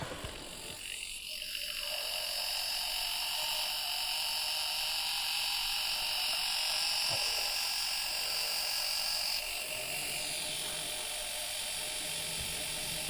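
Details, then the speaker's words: Dapol B1 model locomotive motor on a makeshift suspended rolling road: steady high electric whir with a fine fast buzz, even and smooth; runs normally here, though on track it shakes itself off the rails. "so you can hear it it is running like that but as soon as you put it on the track it sort of shakes itself to bits and shakes itself off the rails which loses the connection and it drops back onto the rails and darts all over again"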